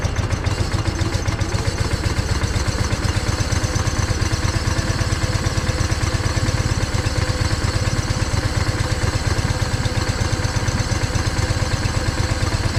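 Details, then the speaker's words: John Deere 318 lawn tractor that stalled and wouldn't crank, started by jumping power to the starter with key on: steady low chug at a fast even idle, no misses or knocks; starter good, a safety switch prevented cranking. "You could see I ended up getting it running when I jumped power to the starter and had the key on."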